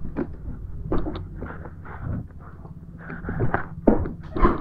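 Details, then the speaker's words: Yamaha NMAX 155 front end bounced: dull, irregular clunks about two per second, loud knocking; worn bearing. "jadi ketukannya itu keras banget sih ini saya baru tahu sekarang"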